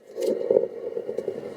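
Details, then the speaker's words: VW group manual gearbox differential, cleaned ultrasonically and dry, turned by hand during reassembly: a dry, gritty scraping showing a worn differential bearing. "pues esto no debería sonar así aquí nos está diciendo que este rodamiento obviamente está en mal estado"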